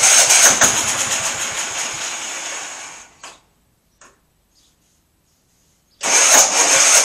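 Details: MTD auction lawn tractor after full tune-up and new cheap fuel filter: engine catches, runs briefly, fades and dies, fires again; stalls after starting. Fuel reaches carburetor; owner suspects carburetor fault, probably needs new one, unconfirmed.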